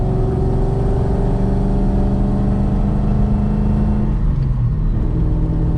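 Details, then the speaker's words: 2003 Mustang Mach 1 driving after Moser Engineering rear axle repair for vibration and rear-end noise: even engine and drivetrain hum, no whooping from the axle; slight tyre rub on ground effects from taller 295/40 tyres. "But the good news is, the axle's back in it. Seems to be better than it was."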